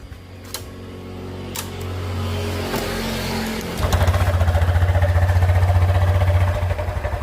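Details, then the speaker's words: Honda Beat 2020–2021 scooter, about 20,000 km, rough noise from engine between the middle of the engine and the front, not the CVT: once it fires, a coarse gritty idle with a steady beat near four a second; worn camshaft bearing, linked to cheap oil. "suaranya kasar ya Nah ini kurang lebih suaranya seperti ini ya Ini masalahnya ada di bagian mesin suaranya ada di bagian mesin ya bukan di bagian blok CVT"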